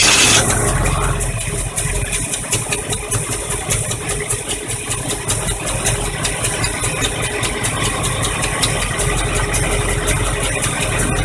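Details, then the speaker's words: 1985 Chevy truck V8 carbureted, running after fuel pump replacement and priming filter and carb bowls; steady, even idle with regular low pulse, no misses or knocks; alternator bracket broken so belt loose; normal idle. "it took a little bit to get the fuel up there and fill up the bowls in the carburetor but it's running again"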